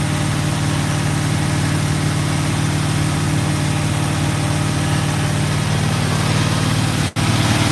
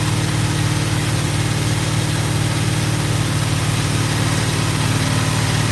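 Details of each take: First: Freshly built GMC truck V8, first start: steady, even low rumble at idle with no knocks or ticks; an exhaust leak and a backfire were noted later, oil pressure good, thermostat opened. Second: GMC truck on first start with headers, HEI module suspected burned out: steady idle with a puffing, ticking exhaust pulse about three a second over a low rumble; exhaust leak.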